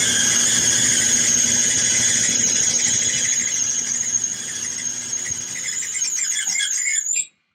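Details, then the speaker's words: Maytag/Whirlpool YWED75 clothes dryer running: loud steady high squeal while the drum turns, then cuts off; owner suspects a worn bearing in a drum roller or the idler pulley. "it's time to change some of the I think some of the rollers on it is what's squeaking"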